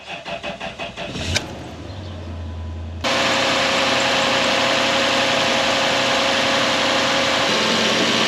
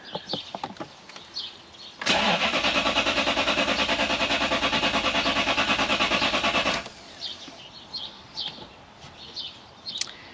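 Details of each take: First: 2013 Toyota Hilux with 3UZ V8 swap, fuel pump temporarily powered from the cigarette lighter bypassing factory wiring: even cranking about four beats a second, short hum, catches cleanly into steady idle; starts fine. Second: 2013 Toyota Hilux (auto) converted to a 3UZ V8: steady even cranking about five seconds, then silence, never catches; long cranking throws a crankshaft position code, but owner thinks it's a fuel problem.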